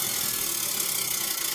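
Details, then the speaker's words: Furnace draft inducer blower, the old unit before replacement, at startup: a harsh, buzzy rattle with a lot of hiss as the fan spins up; noisy blower assembly, to be replaced. "This one, the old one in there, is making a lot of noise when it starts up."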